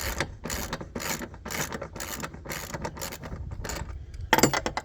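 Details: John Deere E160 lawn tractor mower deck idler pulley, spun by hand while being replaced: dry, gritty rattling bursts about twice a second indicate a worn idler pulley bearing.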